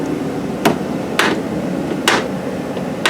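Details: Chevrolet Equinox door opening and closing: four sharp, loud snaps about a second apart as the door swings; worn door check strap jumping detents.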